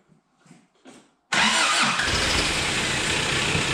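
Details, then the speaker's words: 1985 Daihatsu Rocky 2.0 petrol after wiring the coil resistor's running lead: short crank, catches immediately and settles into a steady even idle; runs well, though the starter motor grinds. "but there we go she runs absolutely fantastic"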